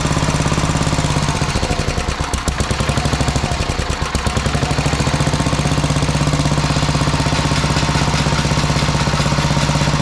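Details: Sears Suburban 12 lawn tractor with a Tecumseh 12hp engine, barn-stored five or six years, running after rewiring and fuel tank work: loud, steady putt-putt at about four beats a second holds even throughout, running cleanly.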